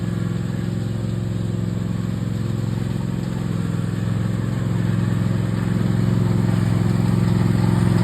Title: Toro Timecutter Max making noise when right arm engaged